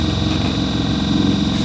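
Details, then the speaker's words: Suzuki Grand Vitara new replacement heater blower motor, test run at first speed before housing and insulation refitted: fast constant tinny rattle over the fan hum with internal vibration; owner thinks it shouldn't sound like this. "Ну вот это на первой скорости работает, это что, нормально? Я, конечно, сейчас соберу все это, кожух одену, там шумоизоляция, но с таким звуком он не должен работать. Не знаю, может я, конечно, гоню уже. По-моему, жесть так тарахтит."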